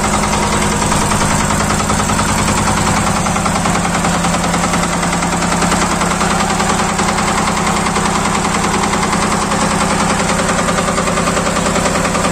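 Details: Yanmar TR190R-di diesel welder/generator idling after bleeding air from the fuel system: steady, even idle with a regular low thrum about two and a half beats per second, no misses or hunting; normal idle.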